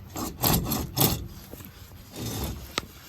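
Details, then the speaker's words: 2001 Ford F350 7.3, Dana 60 front axle, brake assembly removed: wheel hub turned by hand gives rough, gritty metal-on-metal scraping instead of a smooth spin, with shavings found inside; worn-out wheel hub bearing, hub being replaced. "So let's say the hub is toast."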